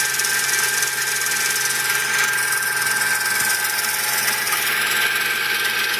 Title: My 2004 Toyota Tacoma V6 is making a strange noise